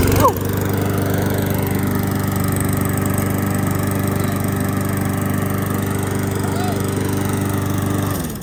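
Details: Briggs and Stratton single-cylinder mower engine, revived after sitting with old gas and restrung, holds a steady, even drone with no misses, surging or knocks; running smoothly.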